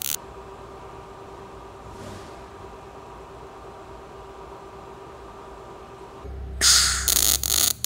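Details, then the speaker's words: Everlast Power i-MIG 315 on 22-gauge carbon steel, CO2 gas, 0.030 ER70S-6 wire, wire feed raised 10 to cure a start stutter: steady even crackling like frying bacon; a well-tuned short-circuit arc. "so i'm happy with them settings sounded great you guys heard it so just by hearing that sound of the bacon bacon frying in a pan just that sound you could walk by somebody and you could tell if they're tuned in or not"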